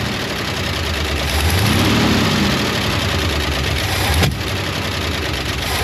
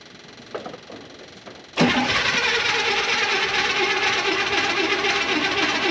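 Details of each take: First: 1972 International 1110 pickup after ignition overhaul (points, cap, rotor, coil, plug wires): idles fine, stumbles when throttle opens, then a sharp single backfire pop through the carb about four seconds in, lean on throttle. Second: 1972 International 1110 pickup with an old two-barrel carb, first start after the accelerator pump fix and an ignition overhaul with new points, cap, rotor, coil, plug wires and timing. After a short crank it runs steady with a smooth rumble, no longer lean, with only a slight off-idle stumble on acceleration.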